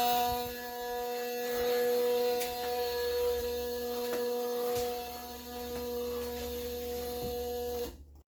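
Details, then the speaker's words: Ford Mach 1 with Coyote swap, key on, fender liner pulled back: a steady mid-pitched buzz felt on the relay module; PCM side has only 5 volts and is not booting, with theft light flashing. "all right so key on you can hear this buzzing noise I pulled the fender liner back out so I could see what what it is I can actually feel the buzzing noise on the module itself"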